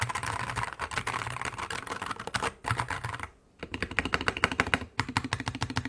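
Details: Wooting 60HE with Lekker V1 switches, clear ABS keycaps, KBD Fans case without brass insert, polycarbonate plate, foam: fast typing, high pingy clacks with rattle, stems wobblier than Lekker V2; switch stem rattle.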